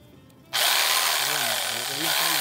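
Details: Jigsaw after no-power repair, cover on, blade guide not yet fitted, final test: steady high-pitched motor whir, even blade hum, earlier rubbing noise from parts scraping now gone; normal running.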